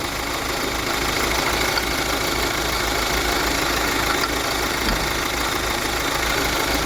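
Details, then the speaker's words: Kia Sportage diesel at 186,900 km, idling: coarse, gravelly rumble and rasp from the front of the engine caused by a worn water pump bearing; no coolant loss or overheating. "Arkadaşlar şimdi size motorun önünden harıl horul ses geliyor Ne bozuk onu göstereceğim arkadaşlar devirdaim pompasını kastamuk yumuk dönüyor"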